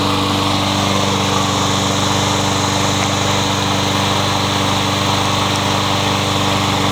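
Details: Troy-Bilt 21-inch self-propelled bagging mower, blade previously hit a railroad tie; after flywheel key replacement and reassembly, steady, even single-cylinder buzz at constant speed with no surging, knocking or misfires: good runner.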